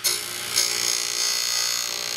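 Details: DEFU key duplicating machine copying a key: a high, hissy cutter whir holds steady after a short bite at the start as the cut begins on the guide; the duplicator is cutting normally.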